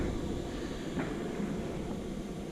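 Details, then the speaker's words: Chinese 5 kW diesel air heater newly installed in an RV beside the passenger seat, on 12.5 V and set to 22 °C, spooling up. A low, steady, quiet whoosh of fan and burner with no knocks or rattles: normal running. "Quiet there for a second so you could hear how loud it is. It's not loud at all. Yeah, it's starting to spool up."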